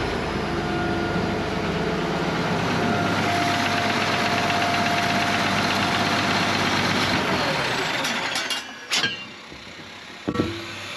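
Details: 1965 Allis Chalmers TL645 loader, turbo 6-cylinder AC 3500 diesel, revived after 10+ years with a cleaned Stanadyne pump: rough low clatter settles into a steady run, then dies away; the fuel shutoff solenoid wouldn't stop it.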